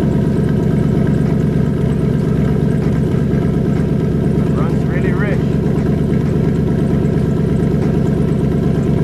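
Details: Turbocharged 4.6L DOHC V8 2003 Mercury Marauder at idle on an untuned fuel map: steady lumpy idle with an uneven loping beat and no misfire pops, running rich.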